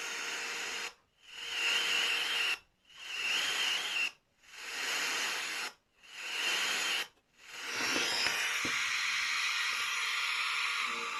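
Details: Portable radio receiver with 18650 battery and no antenna: loud hiss with no station, dropping out about every second, from a broken internal wire to the antenna; a new wire lead is then soldered on.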